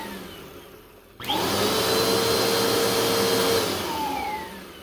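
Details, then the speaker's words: 2017 Bissell Powerforce Compact 2112 after the seized brushroll bearings were freed with oil: the motor spins up to a steady, even whir with a clean tone and the faint hiss of an air leak at the back. The belt centers under tension and the brushroll runs normally. "Okay, so you hear obviously the air leak this back here, but when there's tension on the belt, it literally centers itself, you know, right in the area where it's supposed to, and the belt slides over a little bit that way, so it's not going to hit this."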